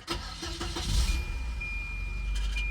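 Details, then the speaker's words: 1994 Volvo 940 Turbo with a swapped AW71 automatic, high mileage: starter cranks slowly and a small metallic clack comes as the engine catches; owner suspects the starter is rubbing the flex plate. "Listen carefully to the noises when it starts. You notice there's that little that little clunk metallic clack."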